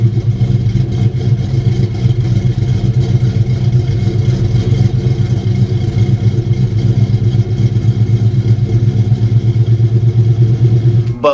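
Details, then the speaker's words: New Edge SN95 Mustang GT 2V V8 with Howard's Rattler cams, MAC long tubes, off-road H-pipe and cat-back, cold start: choppy loping idle about four pulses a second from the cams, not a fault. "it's the Rattler series I believe and so that cold start you can actually hear the cams and it sounds pretty good"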